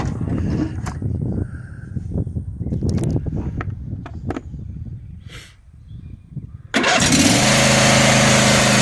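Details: John Deere D140 lawn mower, a crank-but-no-start case, after replacing the fuel shutoff solenoid on the front of the engine: handling noise, then the engine catches at once and runs steady and even. Repair fixed it.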